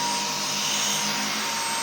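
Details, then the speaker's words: Dyson V10 cordless vacuum floor head on carpet gives a loud, steady droning hum with a strong high-pitched hiss, far harsher than in the product demo; extremely irritating noise from the floor head. "Halıya koyduğunda da bir uğultu şeklinde çalışıyor."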